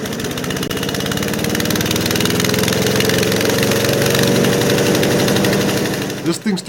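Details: Craftsman/MTD chipper-shredder, 5hp Briggs & Stratton 133412-0059-01, rebuilt after about 10 years sitting outdoors, new carburetor and recoil: steady, even single-cylinder putter at constant speed, no knocks or misses; normal running.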